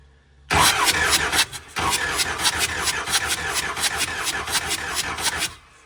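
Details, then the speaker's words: Ford 7.3 Powerstroke diesel, running rough, white smoke, cylinder 3 flagged by a contribution test: during compression testing, steady starter churning at about four beats a second with a brief stall, lacking one cylinder's push; no compression. "you notice how the motor sounds different with this one having, with us doing this one? Because it's not making any compression."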